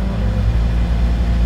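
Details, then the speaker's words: Manual-transmission car on a driving-test road lesson in a 60 km/h zone, still in a low gear: steady, droning high-rev hum, the cue to clutch in and shift up to 3rd. "우웅 소리 나죠. 그죠? 이제 클러치만 밟고 3단."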